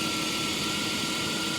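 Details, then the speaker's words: 1998 Chrysler Concorde from auction: steady, even idle with a faint constant whine and airy hiss, no knocks or misses; runs well, though a possible vacuum leak is suspected. "this engine sounds great Gary has proved me wrong"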